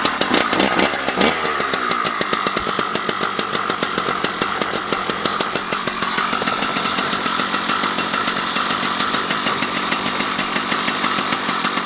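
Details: Husqvarna 281/288 chainsaw after a new coil was fitted to cure no spark, run on fresh gas and started with the decompressor. A crisp, even two-stroke buzz holds steady for ten seconds without stumbling; normal running.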